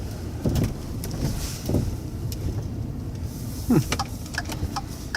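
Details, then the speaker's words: Truck on a very cold day: three or four loose, hollow bangs while rolling over a speed bump at low speed; owner suspects something frozen or ice banging, not confirmed. "There's definitely something frozen somewhere on my truck. Listen when we go over the speed bump thing. Something's banging somewhere. Sounds like a door that's open, but there's no doors open."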